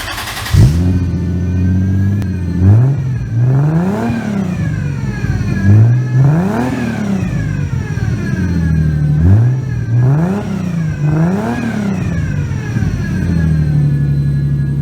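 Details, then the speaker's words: Toyota 2JZ swapped into a 240SX at smooth idle with several clean, even blips and no stumble; all cylinders firing, squeak from loose intake manifold, turbo unclamped so boost escapes. "you just heard it run i think it sounds pretty darn good if i do say so myself"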